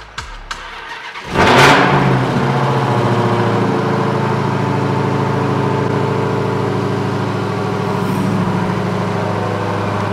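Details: Dodge Hellcat, 25k miles, sat about two weeks and wouldn't start, revived with portable jump starter on third attempt: short crank catches into a loud flare, then settles to a steady, even rumbling idle; normal start.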